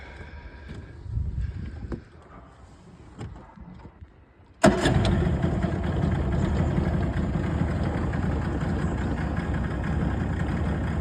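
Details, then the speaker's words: Yamaha two-stroke outboard in the water after repair of oil leaking from the carburettor: cranks, catches quickly, settles to a steady even idle with no stumble; sounds much better than before, normal idle. "well that sounds a heck of a lot better than it did"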